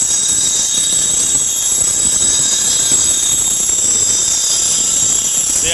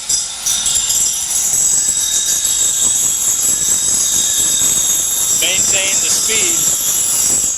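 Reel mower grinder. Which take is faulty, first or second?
second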